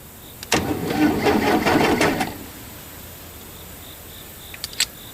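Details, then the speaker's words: Case 580C backhoe unused for 10 years, cranked by shorting the starter solenoid, fuel system dry: starter turns the diesel evenly for about two seconds with no binding; engine turns freely, not seized. "I'm a little surprised. Did you hear it turning over? It didn't even sound like it was froze up at all."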